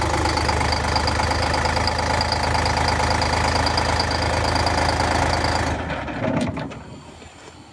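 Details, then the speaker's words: Bus diesel just after cold start, cylinders lighting progressively, heavy smoke: rough uneven clatter about three beats per second then dies away, engine wobbly, missing a couple of cylinders; best cold start in a year. "that sounded like that was running on at least four or five cylinders there it was still missing a couple you can tell because this is really wobbly"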